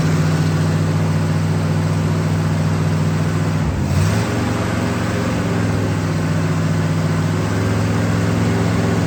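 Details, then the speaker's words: 1965 Pontiac Catalina V8 running for the first time in 20 years, after tightening a fitting with a fiber washer that was spraying transmission fluid. A deep, even burble with one throttle blip settles to a smooth idle: normal running, leak fixed. "I do think she sounds good. No more spraying."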